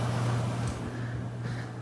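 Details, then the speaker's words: Vintage installed air conditioner at its first start-up of the season: low, steady hum with an even airflow hiss and no rattles, blowing cold; normal running. "that that sounds great well i'm probably blown colder right yep absolutely it is not that i expected anything else"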